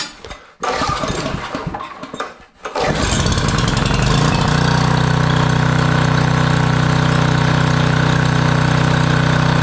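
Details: Generac 5000 W generator, Briggs & Stratton 10 hp, sat for years, restarted after stalling on first try: catches at once, climbs quickly, then settles into a smooth, even run with no misfires.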